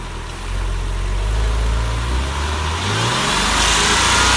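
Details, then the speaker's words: 2000 Porsche 996 flat-six idling after a rev: lumpy, stumbling misfire on bank two (left tailpipe) as oil pressure in a likely faulty hydraulic lifter drops at idle, then smoothing out again. "and then it smoothens out again so it looks like we have a faulty lifter what happens is when you rev it up you've got good oil pressure in the lifter the lifters okay and then when you let it idle there what pressure drops and that's when the lifter will act up"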